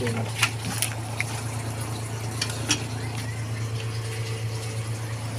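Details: Twin-tub washing machine after repair of a drain problem caused by washing rags, which can block the water path. Steady low motor hum with water sloshing and splashing, no knocks or strain; no more leaking water. Normal running.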